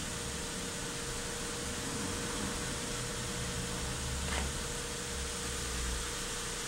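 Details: 2008 Hyundai Santa Fe under misfire diagnosis, cold engine at 39°C just after start with codes cleared: steady, even idle hum with a faint constant tone, no misses or stumbles; normal idle.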